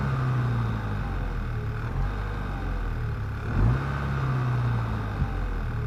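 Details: VW Scirocco 2.0 TSI engine: steady low drone with a couple of brief rev blips; abnormal noise, cause not identified.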